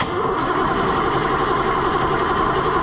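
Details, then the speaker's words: White 4-150 tractor, Caterpillar 3208 diesel V-8, wouldn't start all winter; cranks with uneven firing pulses that almost catch after priming but never run. Owner suspects old gummed diesel fuel; new fuel added. Crank, no start. "But that's all it'll do. It'll almost start after I pump it up. and then nothing happens."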